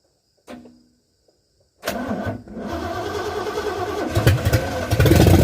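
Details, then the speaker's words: 1978 Ford F100 with new cam: short burst then steady cranking about three to four beats a second that never fires; no fuel reaching the carburetor because fuel lines were connected the wrong way. Crank no start. "Got no fuel. Helps when you have the fuel lines on the right way."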